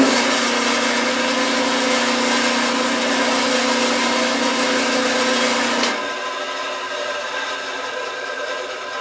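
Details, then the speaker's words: Band saw switched on after setting blade tension, top blade angle and guides/thrust bearing: steady even whir with no metal-on-metal rubbing, then a slow gradual coast-down once off, showing the blade and guides are set up correctly. "take a little while to roll down, and that's another good sign that it's set up properly, because if it's grinding or if it's rubbing on something, it'll stop much quicker."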